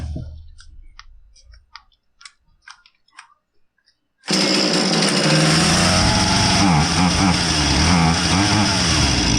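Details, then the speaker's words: Husqvarna 440 chainsaw that came in not starting or idling and had the wrong chain, test run after repair with the proper chain: it fires and settles into a steady, even two-stroke buzz with no misses; normal running. "And see what it sounds like with the proper chain on there. And if it sounds good, then that's all I have for you."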